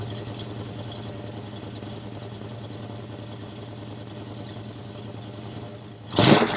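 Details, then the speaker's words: Camaro with upgraded 350 V8 and Cragar headers, mic pointed at engine: low even idle then a sharp rev; normal healthy running. "sounds great right i do love to add in the rpm thing i do think it's so important to be able to make sure everything is running well"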